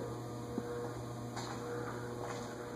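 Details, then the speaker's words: Vintage ceiling fan at medium speed on a variable speed control: a steady low electrical buzz under the hum; the owner believes these 16-pole motors don't do well on variable speed controls, with the buzzing worse in the Laskos than the Emersons. "buzzing out it's actually a lot worse in the lasos than the emersons they I believe are 16 pole Motors and don't do well on variable speed controls"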